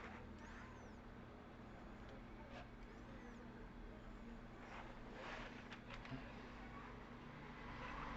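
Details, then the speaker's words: Electric motor after bearing and seal replacement, running in reverse: steady low hum with no grinding, rumble or ticking; runs clean. "marchan reva motor funcionando perfectamente no hay ruido extraño es el ruido limpio de él"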